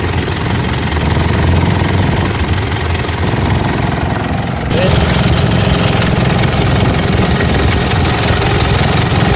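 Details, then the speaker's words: Gen 4 Mitsubishi Pajero idling: loud, buzzy resonant rattle as the top half of the air box vibrates against the lower half near the two engine-side catches, with a Ryco filter fitted. A genuine Mitsubishi filter was suggested as the fix. "rattles caused by the top half of the air box vibrating against the lower half particularly around the two catches on the engine side"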